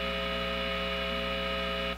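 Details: Positive Grid Spark 40 amp with a single-coil pickup guitar, noise gate switched off: steady low buzzy mains hum at constant pitch, cutting off abruptly; source not confirmed.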